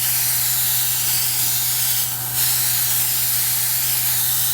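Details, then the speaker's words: Airbrush spraying water at 30 psi from the compressor with no leaks: steady, even hiss and a nice smooth flow that can be feathered, no intermittent sprays or sputter. Smooth spray. "nice smooth flow no intermittent sprays okay perfect"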